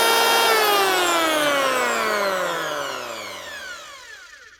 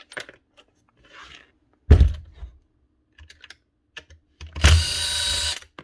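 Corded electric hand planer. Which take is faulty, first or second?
second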